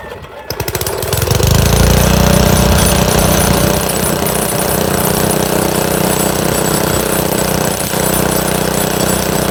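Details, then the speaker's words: Montgomery Ward rototiller small engine, previously reliable, now hard to start: loud uneven chugging with a pulsing beat around four a second, labouring to keep running; rough running, owner suspects water in the gas as fuel looked milky. "I think it's got water in the gas. That's what I think it is."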